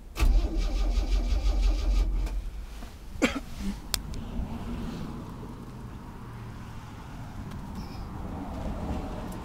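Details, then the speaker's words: 1964 Chevy C10 with 230 inline-six on start-up: loud ragged catch, uneven stumbling firing for a couple of seconds, then it dies away; misfiring and stalling, owner expects it to improve. "it just turns off like that. Sounds pretty bad, but it'll get better."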